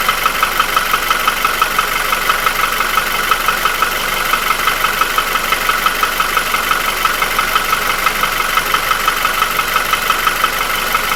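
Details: Nissan QG16DE, no hydraulic lifters, after ring, oil scraper ring, chain and shoe replacement 2000 km ago. A light regular tapping at about 176 per minute rides over a smooth idle and is not heard when revving; it persisted after an oil change. Owner suspects the front of the block between cylinders 1 and 2.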